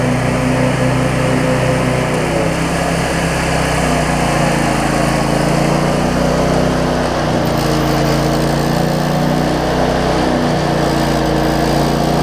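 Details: Cub Cadet zero-turn mower with Briggs V-twin, previously running rich with wiring, charging and governor issues, started after tightening a part that had wiggled loose; steady high-revving drone with slight speed waver, no knocks or misfires; normal running, owner thinks it's fixed.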